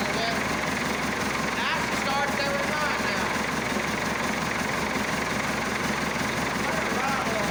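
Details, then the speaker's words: Massey Ferguson Super 90 diesel tractor just after replacing a faulty negative ground cable that caused slow cranking and no-start; started with clutch pushed, now fixed and held at cold idle, not revved. Steady, even diesel clatter with no misses or knocks; normal cold idle. "Well, now she's fixed, I'm happy to say. She's still in idle cuz you can't rev up a cold engine."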